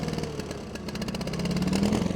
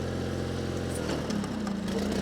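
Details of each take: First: 1987 John Deere 316 garden tractor, single-cylinder engine revved in neutral: pulsing, uneven rise and fall in speed instead of holding steady; unclear whether it is cold or needs a carb clean; engine surging when revved. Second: 1987 John Deere 316 garden tractor, cold start on choke, carburetor jets suspected partly plugged: twin catches, briefly revs up, then settles into an even steady idle with no knocks or misses; runs fine.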